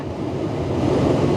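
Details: 2013 Tesla Model S P85 cabin blower just after rewiring to original circuit following blower resistor and DC/DC converter replacement, heat not yet hot: steady, even rush of air building slightly, no rattles or ticking; blower normal.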